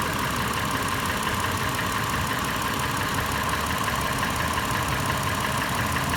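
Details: Toyota FJ warm idle, later in warm-up: sharp metallic tapping about three per second over steady idle, louder than normal valvetrain noise, changed from earlier clatter; faster in park and neutral, slower under load in drive; source not pinned down.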